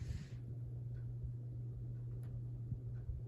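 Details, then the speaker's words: 1988/1989 Halsey ceiling fan running slightly slow: a steady low electrical hum sits under the breeze with no mechanical knocking; the motor hums, cause unknown. "I'm getting a breeze from this thing right now. It's actually humming. It's odd. Why is it humming? I can really hear it. It is actually humming."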